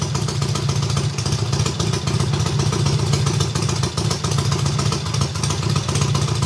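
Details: Triumph hardtail, first start after the engine sat almost a year: full cold start on the third or fourth kick, loud open exhaust barking in a steady quick beat, holding its rhythm cleanly; healthy running.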